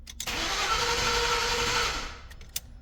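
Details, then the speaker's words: 2011 Ford F-150 5.0 V8 cranks with a steady starter whir for about two seconds but won't start; no RPM signal. It failed to start after an engine wash, and the crankshaft position sensor and ignition parts were already replaced. "so today I'm working on this 2011 F-150 with the 5-0 and so it doesn't want to start it cranks but no start"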